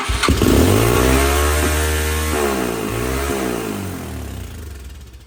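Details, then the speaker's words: 2006 Yamaha TT-R230 bought non-running, 92 psi compression, first start on choke with no airbox on the carb: it catches and holds a fast, slightly lumpy idle that sags slowly; idle set too high and running rich. "it seems like it's running on the Richer side and the idle is set way too high so we're going to mess with the tuning of the carburetor"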